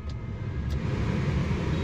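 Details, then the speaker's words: Maruti WagonR K-series AC blower fan assembly after fixing its noise, running at full speed (setting 4): a steady, low whooshing hum with no rattle or vibration, smooth and silent; normal blower operation. "Full प चल रही है और हवा बिल्कुल silent और आवाज बिल्कुल खत्म है"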